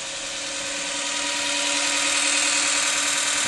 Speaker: you can hear the motor is spinning up and our trusty back wheels are in motion so this is a first first time that the old land yacht has uh had its wheels torn by electromagnetic drive